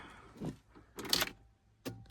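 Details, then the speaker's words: Porsche with a dead battery, on a jump pack, clutch in and out of gear: three sharp clicks and no crank, with no starter solenoid engagement. The clicking comes from a relay underneath, a power loss is suspected, and the positive starter cable is ordered. No-crank click. "oh, still doing the normal. No solenoid engagement, and that click. So, sounds like a relay of some kind."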